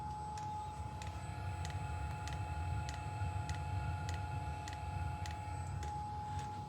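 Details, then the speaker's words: Custom hybrid of a Webasto water diesel heater and Chinese diesel heater parts, with the sensor strapped to the exhaust: a steady low combustion roar with a light, even fuel-pump tick about every half second. Normal heater operation. "well it's working I can tell it's working you can hear the roaring noise"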